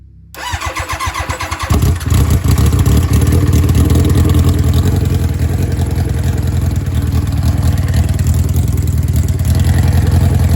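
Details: Championship-winning 500hp nitrous Hayabusa brought back after long storage: a few lumpy cranking beats on a weak battery, then it catches and holds a rough, uneven idle; intake leak through unsealed fittings upsetting the mixture, nitrous jets not yet fitted.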